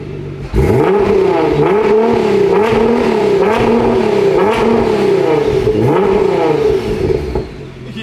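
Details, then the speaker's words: Rebuilt wrecked Nissan R35 GTR with new exhaust: crisp repeated blips climbing and dropping cleanly, deep even exhaust note, no knocks or rattles; healthy engine. "yeah that's that sounds really good that sounds really good"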